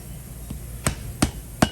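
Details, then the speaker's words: Toyota 3.4L V6 5VZ-FE cylinder head rebuild: Viton valve stem seal driven on with a piloted installer tool and rubber mallet, four light taps, the last three sharper and more solid, showing the seal is fully seated. "tap it on it doesn't take much force no it does not and when you hear that solid sound you know you fully seeded it yes"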